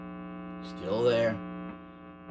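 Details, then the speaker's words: Hotone Nano Legacy Captain Sunset 5W solid-state guitar amp head: steady low buzz with overtones under guitar notes, unchanged when switching pickups; ground hum from the amp itself. "changing the pickups I'm switching between the pickups and noise doesn't change at all that noise is just there it's in the amp other reviewers have noted it as well"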